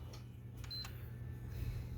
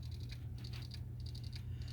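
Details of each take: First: PS4 Slim after replacing its failed hard drive (which had shown "cannot access system storage"): low steady hum and short beep at power-up, no clicking or grinding; the old drive's noise is gone, healthy boot. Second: PS4 Slim that was dropped hard, only showing blue light and not booting ("cannot access system storage"): faint, quick, regular ticking several times a second from the damaged hard drive heads failing to read; fixed by replacing the hard drive.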